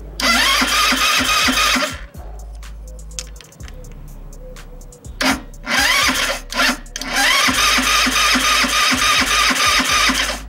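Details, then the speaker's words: Italika WS motorcycle that won't start after an adjustment: the starter cranks in rapid even bursts but the engine never catches; spark is present but very weak. "bueno aquí nosotros si veíamos la chispa para lo mejor ustedes no porque es muy baja entonces vamos a abrir el switch y vamos a darle marcha"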